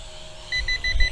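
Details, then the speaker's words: SMRC M21 220 g GPS optical-flow drone after an auto landing, following an app crash: quick high-pitched beeps about six per second, evenly spaced, that keep sounding until the controller is turned off; cause unknown. "This is going to probably continue to beep on us through the whole talking to this, so I'm going to go ahead and We stop that."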